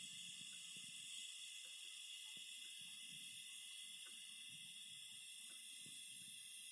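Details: Phoenix Contact QUINT-PS/1AC/12DC/15 12 V 15 A switching power supply with a strong, steady high-pitched hiss and faint crackle that persists with load connected; all four units show it, cause unknown.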